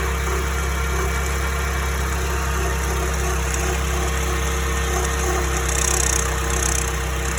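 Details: Porsche 931 (924 Turbo) idling with a light metallic rattle flicking on and off every few seconds, only at idle; steel-rod listening places it at the turbocharger case or BOV case, turbo not yet disassembled. Intermittent rattle at idle, cause unconfirmed.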